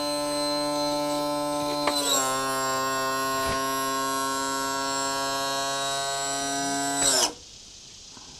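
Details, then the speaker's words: New tilt and trim motor on a 2014 Yamaha 250 SHO outboard, cycled while bleeding: steady high-pitched whine holding even pitch, then cutting off abruptly, sounding strained; probably needs more hydraulic fluid. "It shouldn't be making noises like that. Uh, and that's probably because it needs a little more air or I'm sorry, a little more fluid."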